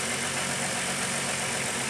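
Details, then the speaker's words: Running engine with a vacuum port cap pulled off during an O2 sensor test; steady loud hiss over idle from the deliberate vacuum leak. "I'm going to pull the key off of it, or the cover off of it. And you can hear it creates a vacuum leak."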